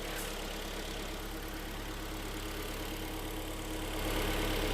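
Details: Hyundai/Kia G4KD petrol engine just after overhaul, AC compressor whistle now gone: steady, even idle with a smooth low hum, no whistle or knock; normal idle.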